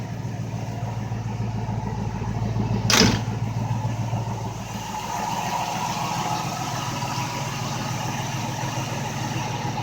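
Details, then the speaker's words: MG Magnette ZB V8 coupe, warmed up, throttle stabbed to release auto chokes so it drops to about 800 rpm: steady, even burble at low speed with one brief clatter. Normal warm idle. "I just stabbed it a bit and as you can hear the motor drops down a bit and once more - Auto - an autumn of about 800"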